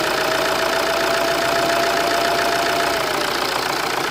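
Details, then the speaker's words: Vauxhall/Opel Zafira C 2.0 CDTI diesel in limp mode with codes P003A, P0299 and P2263: revving brings a thin whistle as the worn turbo spools up audibly; the engine is possibly cold. "Can you hear the turbo kind of spooling up a little bit? You can hear that hoosie noise, that woo, sort of a whistling noise. You can definitely hear it increasing."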